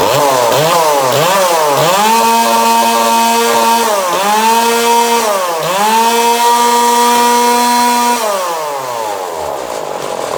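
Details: 2002 Husqvarna 136 chainsaw with new carburetor, tuned and warm after about 10 minutes at wide-open throttle: blips up and down, holds a clean steady high scream at full throttle, drops back smoothly; healthy.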